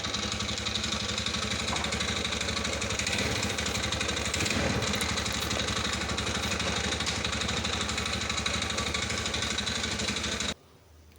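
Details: TVS Ntorq scooter idling with a harsh rattle ticking about four times a second from the magnet side; caused by a loosened 27 mm starter one-way clutch nut.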